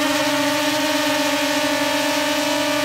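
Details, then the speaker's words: DJI Mavic Air hovering on Master Airscrew stealth propellers: steady even whir, much quieter and lower-pitched than the stock propellers, no surging; slight shaking noted with these props. "Impressive. All right, so definitely much quieter and also much lower pitch. So, not quite as annoying as it normally is with the stock propellers."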